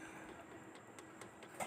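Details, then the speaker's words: Umbrella sewing machine turned slowly by hand; light, fairly regular ticks about every quarter second from play in the small gear, gear backlash knock. "देखो आपको आवाज आ रही होगी तोय इसमें play है तो य प्ले नहीं रहनी चाहिए"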